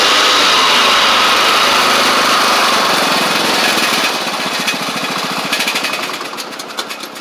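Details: Craftsman DYT4000 riding mower, dragged out of the woods after sitting, now with new tank grommet, shutoff switch and blades: single-cylinder engine runs steady at high speed, then throttles down cleanly to slow even idle; it started, ran, drove and cut. Normal running.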